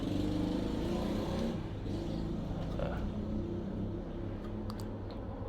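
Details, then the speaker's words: Hatari electric fan powered on: low steady mains hum with no blade whoosh, motor stalled and not spinning though windings test intact. "นี่ครับมีเสียงครับมีเสียงคางฮื้อๆอยู่ไม่หมุนนะไม่หมุน"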